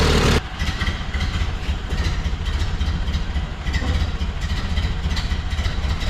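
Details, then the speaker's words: 1929 Ford Model A Tudor, 12-volt GM alternator conversion, idle bumped up: even, deep low thump with no misses or knocks; charging at 13.5 to almost 14 volts, about 10 amps; long idling in parades blamed for draining the battery. "Let's bump up the idle a bit and see what it's doing. There, we're getting 13.5 volts. Almost 14."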